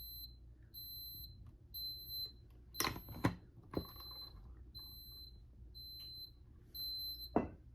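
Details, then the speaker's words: FCI 7200 Micro fire alarm panel, monitor module tested in supervisory condition (non-latching, clears on reset): high steady piezo beeps repeating about every second with pauses, over handling clicks; supervisory trouble signal. "Real quick, we can test this monitor module in the supervisory condition. It's not latching, so once the pulsation resets, it clears. Should be able to hear the piezo"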